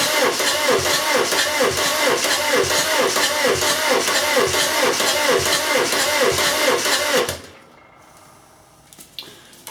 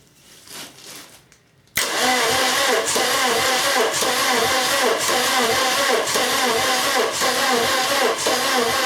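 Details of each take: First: VW camper with swapped-in TDI engine, first cranking after fitting dual mass flywheel and checking oil pump drive: even starter cranking about two compressions a second for seven seconds, no binding, with oil pressure now building. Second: Swapped-in VW TDI engine in a VW camper, first cranking after fitting the dual-mass flywheel: starter turns it at an even rhythm with no electronics connected and no diesel, so no injection control and no start.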